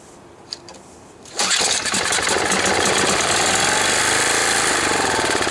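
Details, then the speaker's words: Tecumseh OHH55-69069E small engine, probably near-new, primer bulb petrified: pull start catches into steady buzzing run with faintly uneven beat; it runs, carburetor probably needs cleaning. "Well, it obviously works, but it'll probably need the carburetor clean."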